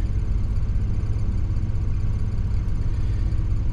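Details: Crete Carrier truck diesel idling under Opti-Idle climate control with air conditioning running on low blow, about 108 degrees outside: steady low rumble with an even beat, no knocks or misses; normal healthy idle.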